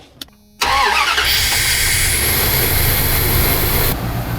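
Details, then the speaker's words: Engine with persistent cylinder five misfire despite new 2001 injectors and rewired connectors; it cranks and catches, then runs with an uneven, stumbling beat. Owner suspected valves; the misfire traced to an intake manifold gasket leak. "I took off all the connectors, redid all that, put the old connectors from a '97 back on and it still has a misfire. Uh cylinder five misfire."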